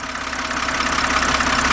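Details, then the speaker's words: 2007 BMW 328xi engine, stethoscope held on a fuel injector at idle: crisp, fast metallic ticking of the injector pintle opening and closing over a steady idle hum, a normal sound showing the injector is good. "All right, now if you heard that, you actually hear the pencil of the injector actually opening and closing. A nice, crisp, metallic sound. And that's how you know your injector's good."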